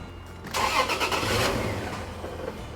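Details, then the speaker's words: Supercharged Toyota Tacoma 4.0L V6, start on new HP Tuners tune: cranks, catches briefly, then dies; too lean because injector data removed 20% fuel and a carried-over learned fuel trim removed another 20%. "0 so basically it's carrying over that learned field trim so i took say 20 out of it through the injector data and then the car is taking 20 out on top of that so it's just too lean so it's not going to run"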